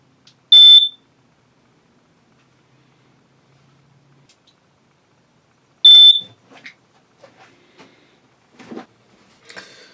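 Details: 2014 Itasca Impulse RV, over 10-year-old propane leak detector at end of life: two short, shrill beeps about five seconds apart; detector replaced.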